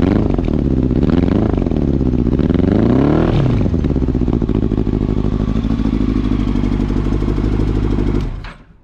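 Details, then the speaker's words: 2000 Yamaha R1 4XV, warmed up before carburetor repair, hard to start with carburetors leaking: revving and settling with an uneven, lumpy beat and ragged exhaust, running on three cylinders; misfire from loose carburetors. "so that's how shitty it sounds uh let's stay in outside that's a light uh so yeah i need to fix all imperfections like so like original bolt eight mil uh all sort of but let's get it done"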